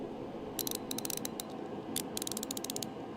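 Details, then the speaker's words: New ratchet being clicked: two quick runs of crisp, evenly spaced pawl ticks, clean and sharp with no slipping or grit; healthy ratchet. "Tactile feel. How how that thing clicks. That click needs to be pleasing to the ears. I don't care what anybody says. That's a good click. It's a good click."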